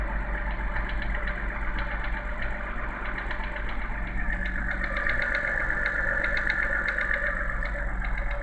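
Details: BMW N52B30 inline-six on cold start: a faint irregular tapping about twice per second over a steady idle, which disappears once the engine warms and revs drop to idle. Engine knock on cold start, source not pinned down.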